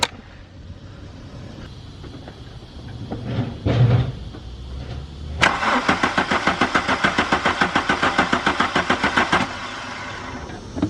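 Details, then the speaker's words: 1995 VW Mk3 Cabrio with new fuel pump, filter and relay: starter cranks steadily about 3.5 turns/s for four seconds but never catches; little or no fuel reaching engine, pump or bigger fault suspected. "it still doesn't seem like any gas is coming from the fuel tank from the fuel pump so i don't know if if it's the fuel pump that's not pushing gas or if it's something bigger"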